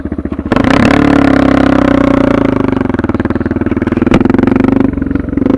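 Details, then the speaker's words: Suzuki DR650 with Procycle jet kit, 150 main jet, DGV2 slip-on, mixture screw just over one turn out, about 40 degrees, just started: single-cylinder revs pick up cleanly and hold with no stumble or blips. Carburetion spot on. "So I got my mixed fuel screw right. You can hear, I'll rev it. There's no blips."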